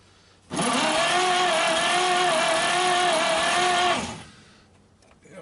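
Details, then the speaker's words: 1939 Chevrolet Master, stored 48 years, cranking with oil in the cylinders for a compression test. Even starter whir with light, quick pulses. Readings are 30, 40, 15, 30, 75 and 0 psi across cylinders 1 to 6; low compression because the valves are not seating. "only about 15 psi, and that's after I've already put oil in all the cylinders, so it tells me the valves are not seating for sure."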